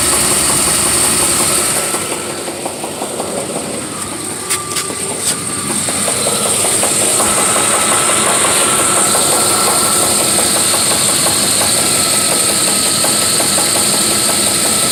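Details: 1993 Chevy Silverado 5.0 V8 idling with a steady, regular knock about three per second; owner thinks it comes from the flex plate area and wonders about a spun bearing, unconfirmed.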